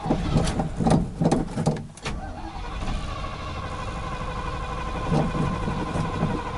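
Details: 1986 Chevy K10 four-speed, first start after 9 years parked, catches with uneven bursts, then a ragged idle that surges and sags; owner suspects a plugged idle circuit or dead gas, fuel starvation likely.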